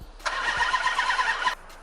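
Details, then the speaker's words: 2005 Chrysler 300C 5.7L Hemi on its first start after a rebuild: quick cranking catches briefly, then dies. It won't run without throttle despite having fuel, fuel pressure, air, ignition, oil and coolant. The owner suspects an intake problem, unconfirmed. "there's just no way there's no way there's no way this is nowhere oh boy there's just no freaking way if i don't put my foot on the gas it won't"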